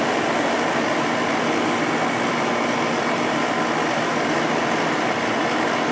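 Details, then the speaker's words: Sharp window air conditioner, second of two identical units, first startup of spring: a smooth, even whoosh of fan and compressor hum with no rattles or cycling; it is running healthy. "I love the way these air conditioners sound."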